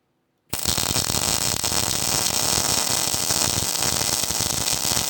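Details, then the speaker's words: Hobart Ironman 240 MIG welder at weld start with C-clamp ground on the table: arc strikes with a rough, spitty crackle before settling into steady frying; sputter from poor ground, not the wire run-in feature. "And so you could actually hear there a little bit of spitting and sputtering when I first pulled the trigger. I think a lot of people attribute that to that run-in feature, but MIG is extremely sensitive to having a good ground."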